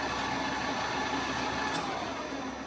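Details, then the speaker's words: Old manual three-phase lathe converted to run on 240V single-phase via a VFD: even motor hum with steady whine holding under load through stop, reverse and restart mid-stop, then clean cutoff; drive and motor run normally. "Oh no. Yeah, it works like normal."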